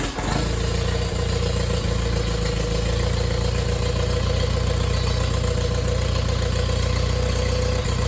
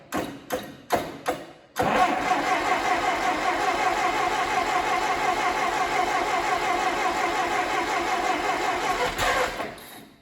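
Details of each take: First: Allis Chalmers D17 tractor engine on its first start in the chassis, choked, throttle nudged just above idle: even, steady firing with no knocks or misses; runs smoothly. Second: Allis-Chalmers D17 tractor engine, first start attempt in the chassis, choked with throttle fully back: a few hesitant turns, then about eight seconds of steady cranking that never catches, as if drawing fuel but needing more throttle; cranking, no start.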